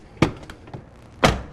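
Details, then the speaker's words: 1995 Buick Roadmaster door closing with improved latch (Teflon-coated fork bolt, new rubber pads): two soft, dull closes, single muted thud each, quieter with no metallic clunk. Quiet door latch closing. "that? It's quieter, and there's no clunk sound."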